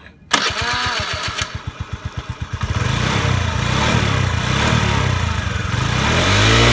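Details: Honda Today moped after engine conditioner treatment for carbon buildup: cranks a few seconds, catches and settles into a smooth, even running note that climbs cleanly with throttle; engine revived and running properly.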